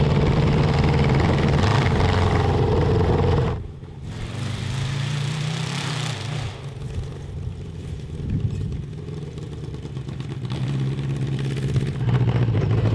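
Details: Honda CB750 750cc cross kart on stock carburetors with drilled emulsion tubes, warmed up: revs hard, then stumbles and drops out before picking up unevenly above 7,000 rpm under heavy load; the jetting change made breakup worse.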